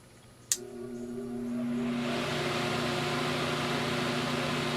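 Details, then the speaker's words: Fan plugged into a BN-LINK variable speed controller, which starts at high: click, then motor spins up to a steady, even whoosh with smooth constant hum; running normally on high. "it starts on high so this is going to run like it does normally when just plugged in and you flip that big switch on there"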